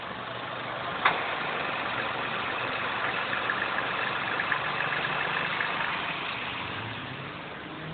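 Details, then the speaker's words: Inspira 2.0 / Lancer GT, inside cabin after engine mount replacement, aircon off: quiet even idle, drone and hum gone, one brief click; previously loud vibration from broken engine mount. "Okay, there's no more droning sound, or should I say the humming sound, and this is what it sounds like from inside the car. Alright, very much more silent compared to previously."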